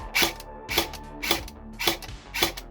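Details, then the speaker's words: Specna Arms X Series Flex airsoft gun with changed spring: crisp whirring cycles about every half second, each ending in a light click, with no grinding; average gears shimmed averagely, slight anti-reversal latch turn-back is not a fault; normal gearbox cycle. "It doesn't sound grindy. It doesn't sound noisy. It sounds like an average set of gears in an average gun shimmed averagely."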